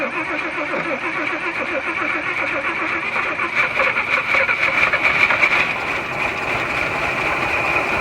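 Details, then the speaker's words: 1941 Chevy six-cylinder on its original radiator with a new belt, running on half a carburetor with fuel poured in and roughly 40-year-old oil: fast, steady, even idle, apparently firing on all six cylinders; sounds healthy. "i mean it actually running really really good uh considering that it doesn't have a whole carburetor we only got a half a carburetor and we just pour in fuel in it and it actually sounds like it's hitting on all six cylinders"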